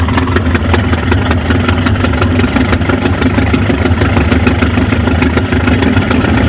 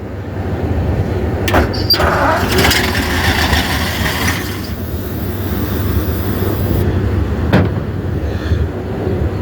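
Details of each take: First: 1950 Ford F5 flathead V8, 53,065 miles, sat over 20 years, first run on a temporary tank feeding the fuel pump and carburetor: steady, slightly lumpy low idle; smokes, and the owner suspects the rings need to reseat; good oil pressure. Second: 1950 Ford F5 truck with a flathead V8, 53,065 miles, sat over 20 years, cranked on 12 V with a wire jumped to the coil and flushing oil in: steady rhythmic churning with even compression pulses; turns freely, not seized.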